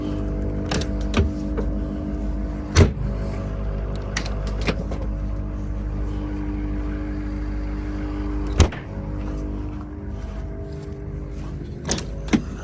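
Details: Retired 2013 Ford F450 6.7 diesel ambulance, engine and transmission replaced with new OEM parts now at 120,000 miles: steady, even idle with smooth low rumble, no knock or miss, a few stray clicks; sounds healthy.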